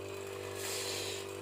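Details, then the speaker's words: Whirlpool refrigerator compressor, run directly: a loud, steady low hum with a strong buzzy overtone that never breaks; failing compressor, with a nearly blocked filter-drier seen as the likely cause of its failure. "вот так вот он гудит ужасно"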